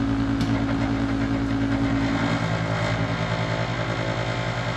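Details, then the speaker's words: Second Master radiant heater on diesel: only a steady fan drone and hum, no igniter ticking, no burner roar; diesel smell suggests pump may work, igniter suspected; blower runs but no ignition. "okay this ain't working it have to have some work done I've been fing with this thing a little bit and uh you can smell diesel um coming out so the pump may be working"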